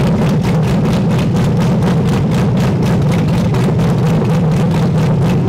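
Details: LS V8-swapped Miata with cam, freshly tuned, after loosening an over-tight throttle cable that caused high idle: loud, lumpy idle with a choppy pulse of about five beats a second, typical big-cam lope.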